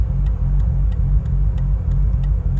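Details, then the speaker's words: Bridgeported Mazda RX-8 rotary at about 3,000 miles, at roadside after misfiring off a roundabout with flashing engine light, accessories on: lumpy idle with sharp repeating skip about three times a second; misfire, cause unknown. "Cuz basically last time when when all the electrics were on, it couldn't idle properly. I mean, it's not as bad."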